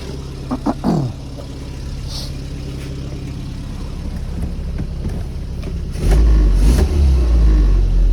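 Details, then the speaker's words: Carburetted car on the road, after adjusting the damper oil to keep it rich on opening: picks up cleanly with no flat spot or hesitation and drops straight back to idle without fluctuation; carburettor now set right. "yeah yeah yeah there's just there's just no flat spot there at all is there and when it when you there's no flat spot there at all you take your foot off the accelerator just s straight back down to where it should be there's no fluctuation at all"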